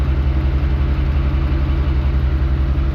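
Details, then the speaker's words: LS-swapped Jeep Wrangler JK Rubicon after tapping on its newer starter: steady, even low idle pulse with no chatter or grinding; the noise is gone. Starter gear suspected of hanging up and chattering against the flywheel or flex plate; bolts checked. "We think it might just be the starter, which is a newer starter, because we just tapped on it a few times, and guess what? It's gone. The noise is gone."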